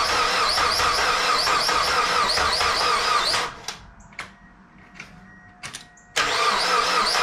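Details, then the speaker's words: Mazda Miata after timing belt and valve seal job: even starter cranking about 2.5 beats a second, stops and resumes, never fires, even at full throttle; owner suspects timing out, possibly set without crank timing marks. "any sign of maybe it's not in time these are all clicked into place"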